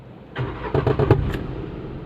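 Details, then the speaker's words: Renault Kwid at start-up: quick burst of hollow clunks from under the body as the engine cranks and catches, then settles; recurs every start, lever also moving; exhaust silencer knocking against the body. "आप देख सकते हो वापस से band कर देता हूं body के नीचे से आवाज ए रहा है"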